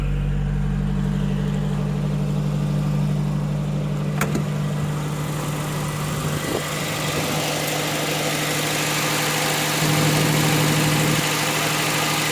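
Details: 1981 Datsun truck with no-crank problem, starter grounded with a jumper cable's negative lead to test for a bad ground; engine catches and settles into a steady, even idle with a low hum and no knocks or misses.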